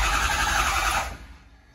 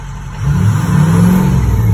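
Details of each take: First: Crank no start on a 6.0 Powerstroke: the starter spins steadily with no firing. Injection control pressure jumps around and won't reach 500, traced to a faulty ICP sensor rather than the high-pressure oil pump. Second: 6.0 Powerstroke diesel diagnosed with an ICP sensor fault, whose starter had been randomly engaging through faulty aftermarket wiring: even diesel clatter at idle with two short rev swells, no starter grinding or misses; normal idle.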